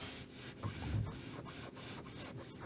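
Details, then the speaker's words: Citroen C4 Grand Picasso steering column boot squeak: dry rubber-on-rubber creak with each small wheel turn, boot rubbing behind the pedals; returned by evening after lubrication, though less than before; owner plans deeper nozzle and more grease, else removal. "Не так плохо, как в прошлый раз, но скрип вернулся."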